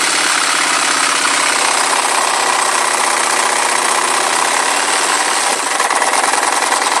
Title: Phantom engine knock??